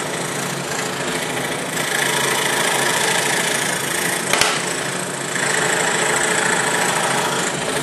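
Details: Cheap entry-level scroll saw with a No. 5 plain-end blade cutting a wooden Christmas ornament: fast, even buzzing chatter from the blade strokes holds steady through the cut, no stalls or clatter; cutting normally.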